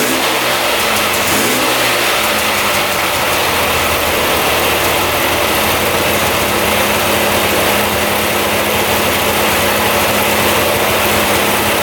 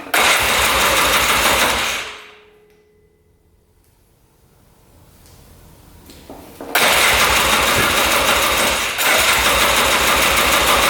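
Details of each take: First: 2002 Polaris Scrambler 400 4x4 ATV restarted after running about 10 minutes; brief blip then steady even idle with no misses, knocks or surging; running as it should. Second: 2002 Polaris Scrambler 400 4x4 ATV, all original, choked on first start attempt; loud single-cylinder run dies within seconds, then hard cranking that won't catch; owner suspects low compression once oil left the cylinder, unconfirmed.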